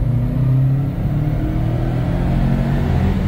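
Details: Subaru STI with a 2.6L engine, stock exhaust and intake, TD05 20g turbo and essentially stock software, being prepared on the dyno with raised idle: deep, even rumble swelling smoothly with revs, no knocks or rattles. Engine sounds healthy.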